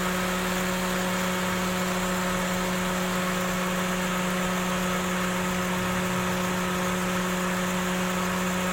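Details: 2012 Daihatsu Xenia 1300cc whose AC blew no cold air; the compressor magnetic clutch plate rubbed on the pulley and was replaced. Steady, even idle with AC engaged, smooth compressor hum, no scraping or rubbing; running normally.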